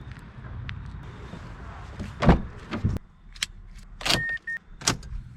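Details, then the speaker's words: 2006 Mazda 6 V6: key clicks, then a brief high whir that stops without the engine turning over; the starter wants to engage but cannot, so the starter is replaced. "ready and if you listen closely you'll hear that the starter wants to engage but it can't"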